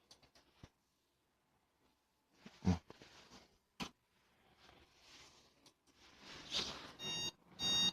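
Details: Desktop PC at power-on gives clicks, then short high-pitched POST warning beeps with no display. The likely cause is a RAM contact fault or an incompatible graphics card. Reseating the RAM still gives the same beeps.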